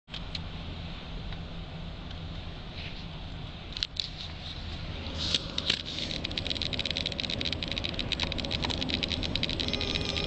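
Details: 2009 Volvo XC90 while driving: light, irregular, intermittent buzzy rattle from behind passenger-side dashboard over low road rumble, stops when pressing down on top of dashboard; dashboard rattle.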